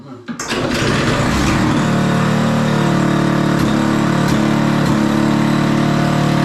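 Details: Toro Power Clear 518 ZE snowblower after repair with a replacement muffler fitted. After a brief crank the small engine catches at once and settles into a steady, even beat with no misses or pops, so it is running normally.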